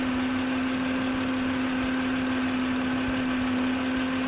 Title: 2006 Acura MDX - Old Failing Alternator Whining Noise - VTEC 3.5L V6 Engine